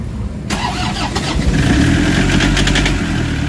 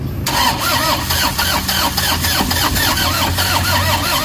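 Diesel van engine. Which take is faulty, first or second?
second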